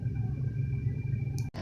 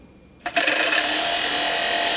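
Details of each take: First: New blower motor just installed in a 1989 Oldsmobile Delta 88 heater/AC, replacing a noisy original, heard running in the car. A low steady rumble with a faint even tone, nice and quiet after the repair. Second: 1989 Oldsmobile Delta 88 blower motor bench-powered by remote starter, two bursts of harsh gritty rasping that sputter out as it stops; bearings worn out, motor replaced.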